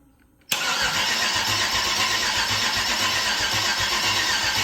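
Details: Chevrolet LS 6.0 V8, about 150k miles, first start attempt since purchase with gas poured in: starter cranks steadily about four turns a second, never catches; crank, no start, cranking speed suspected too low to fire.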